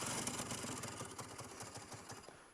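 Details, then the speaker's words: 2006 Aprilia SR 50 R scooter: quick rattling clatter from the CVT/clutch area on starting that dies away within seconds; cause was a misplaced kickstart gear, readjusted to fix the noise. "basically guys yeah you hear that yeah that's a problem oh sounds like a problem sounds like a major problem really and it's all coming from that place where the bullet is or the clutch is"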